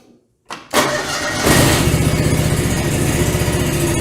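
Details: John Deere 445 with twin-cylinder engine, after both ignition coils replaced while chasing a miss: cranks briefly, catches cleanly and settles into a steady, even idle with no misses; normal start and idle.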